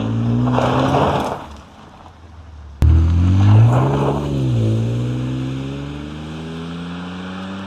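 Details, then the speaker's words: Junkyard BMW E60 just fitted with a new Flashark dual-tip catback exhaust: a clean rev blip settles back to a smooth, deep idle with a mild rumble and no rattles; healthy. "I don't think this is gonna be too loud. I think it's gonna be just a bit better than stock. It's gonna have a nice little rumble to it, but it won't be too annoying when you're driving it around."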